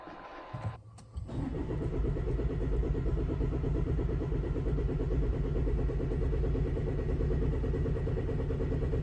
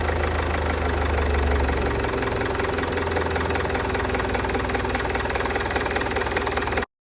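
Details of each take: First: Range Rover Evoque cranking steadily for about nine seconds at roughly three and a half beats a second but never firing; fuel system airlocked after a fuel filter change, in-tank lift pump not strong enough to clear it. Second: Range Rover Evoque after fuel filter change, airlock cleared by pressurising tank and bleeding at high-pressure pump connector: engine catches and settles into steady, even idle with low rumble, no misses; normal idle.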